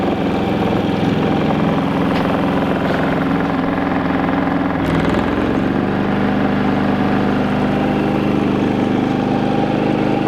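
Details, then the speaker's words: New Predator 3500 inverter generator under a small electric heater load on its low setting; the hum rises in pitch, then settles smoothly, staying quiet and even. "I am thoroughly impressed how quiet this thing is absolutely impressed"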